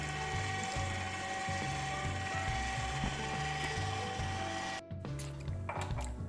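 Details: Bosch VitaExtract slow press juicer running: motor hum with repeated ratcheting clicks, about two a second, as the lid lifts during operation; abnormal noise, possible internal breakage suspected.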